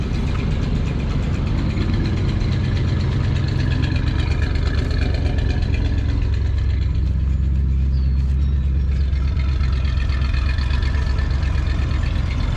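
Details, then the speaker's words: Coachmen Classic motorhome engine idling smoothly while warming up after a good start, custom exhaust system fitted; steady even low rumble with no knocks or misses, normal warm-up idle. "all right i'm gonna let her warm up a little bit she started up pretty good got a custom exhaust system on her"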